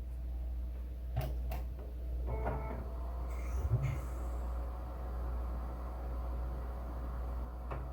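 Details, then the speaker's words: FX-system desktop PC that stopped working after being moved: a few sharp clacks over a low steady hum, then spin-up fades; failing hard drive clicking and no longer spinning, replaced drive fixed the PC. "it's not even spinning no more now for a second you could hear it just go bang bang bang"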